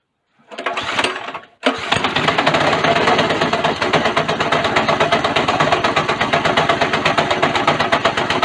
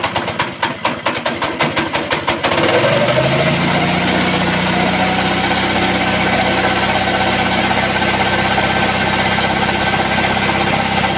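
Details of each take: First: Go-kart small single-cylinder engine right after a governor bypass, with the throttle seemingly working backwards after reassembly: it catches after a false start, then runs with uneven, lumpy pulses about three per second, stuck at wide-open throttle. The cause was not yet found. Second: Go-kart small single after a governor bypass, throttle cable returned manually because the spring is weak: a few sharp pull-start chuffs, then a fast, steady healthy beat.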